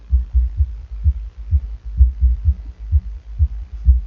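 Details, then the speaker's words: Bass Habit SE5100.1DF car audio amplifier after repair of a burnt power-supply section: deep bass thumps, about two a second, come through clean with no hum, crackle or cutting out; the amplifier works again. "Bon, on a tous entendu que ça faisait du boum boum."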